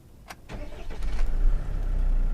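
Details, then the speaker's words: Military Jeep J8 Wrangler diesel with a 5-speed automatic, revving only to about 3,000-4,000 rpm: starter cranks and catches, then settles into a deep, steady diesel rumble with a loud rattle. Normal diesel start and idle. "sounds like a Sri Lankan bus, if I'm to be honest with you. It only revs to about 3,000 or 4,000 RPM. So it's not exactly silent running."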